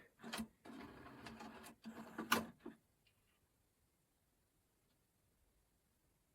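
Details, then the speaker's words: Sony DHC-ZX50 mini system, five-disc CD changer with no disc found in position three: a few seconds of whirring, clicking and clunks as it checks through the disc positions, then quiet; normal CD changer cycling. "Disc free. There's no disc. There is something full. No. It's going through kind of checking everything."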